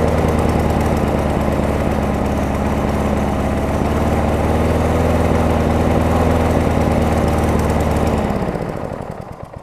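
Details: Craftsman self-propelled mower with a Tecumseh engine, after a carburetor and air filter housing swap: holds a steady, even single-cylinder beat at constant speed before shutting down; runs clean and healthy.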